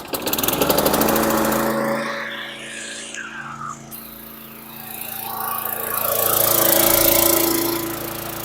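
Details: 2003 Murray 5.0 HP high-wheel push mower with Quantum priming engine, repaired: the single-cylinder buzzes steadily, speed swelling and easing with the governor, no knocking or misfires, a little smoke; runs fine.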